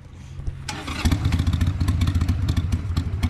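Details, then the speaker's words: 2002 Harley-Davidson Sportster after carburetor cleaning, not yet warmed up, just stalled. It catches, then settles into an uneven, loping beat of about 220 pulses a minute that stumbles: rough cold idle. Owner suspects it needs an idle adjustment. "not quite warmed up yet that's why you know what it's going to need a an idle adjustment"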